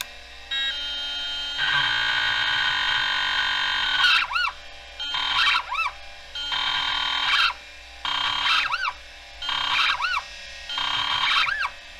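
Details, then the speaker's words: Vintage computer stepper-motor hard drive, microphone placed next to it at power-up: loud buzzing whine switching on and off about every 1.5 seconds with rising chirps. Abnormal spin-up, stepper motor suspected sticking. "okay well sounds like the stepper motor is sticking kind of no surprise sounds like a Rage Against the Machine song"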